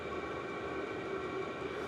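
Constant airy rush from the blower with a faint steady hum underneath, no clicking or rough combustion; heater running normally.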